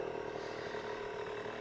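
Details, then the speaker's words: 1975 Honda MR50 Elsinore 50cc two-stroke after new piston rings and crank seals, started with one kick after a ride: quick even buzzing idle with no misses, surging or clatter, running cleanly. "the little Mr fifties running great and is headed off to its new owner here in a couple days"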